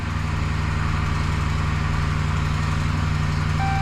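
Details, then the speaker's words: 2012 Ram 2500 just after a fuel pump replacement with the bed off: starts readily and holds an even, steady idle with a smooth low rhythm and no misses; a chime sounds near the end. Normal idle. "it'll probably barbel a little bit but it should start pretty decent oh started great"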